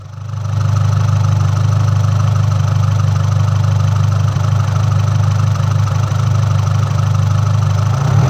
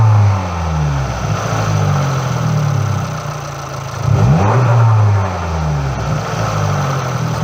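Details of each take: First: MultiAir engine with electro-hydraulic variable intake valve lift; a deep, steady drone whose valvetrain rhythm stays the same as revs are held, because the ECU triggered failsafe and locked the unit at full lift. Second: MultiAir engine with electro-hydraulic variable intake valve lift and timing: a noisy hydraulic tick, and the valvetrain rhythm changes suddenly at about 3,000 rpm as MultiAir switches from late intake valve opening to full lift; normal behaviour.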